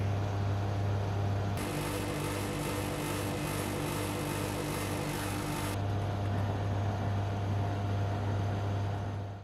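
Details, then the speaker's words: Air conditioner outdoor condensing unit after fix, with wiring tied away from copper pipe and casing: steady normal compressor hum and even fan whoosh, no metal rattle; running normally. "ตอนนี้แอร์ทำงานแล้วนะครับซึ่งเราค่อยจะได้ยินเสียงคอมเพรสเซอร์ดังนะครับคอมเพรสเซอร์เนี่ยดังอยู่แล้วนะครับ"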